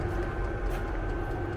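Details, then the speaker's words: Vevor diesel air heater in a Fiat Ducato van with the van closed up, at full output: constant low blower hum, faint steady whine, no surging or popping, heating well; normal operation. "Je vais le laisser un petit peu voir ce que ça donne. Lui donc qui chauffe à merveille. À l'intérieur, c'est la fournaise."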